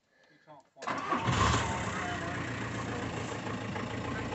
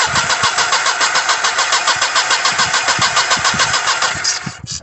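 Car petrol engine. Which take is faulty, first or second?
second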